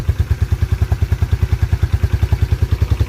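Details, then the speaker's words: 1987 Yamaha Moto 4 YFM-350ER 350 single-cylinder ATV, started on key and button in neutral, no choke; even steady thump about 200 beats a minute, no misses or clatter; everything sounds nice; healthy idle. "other than that it's a reliable atv and all the gears work great everything sounds nice starts right up every time"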